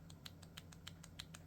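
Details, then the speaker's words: Vessel 2200MBH120 36-tooth ratchet stubby combo driver set to lock position: light, sharp, even ticks about every 0.15 seconds like a metronome as the driver turns; ratchet still clicks while locked. "well there is a little bit of a noise so listen so if I'm going to hold that this is in the lock position"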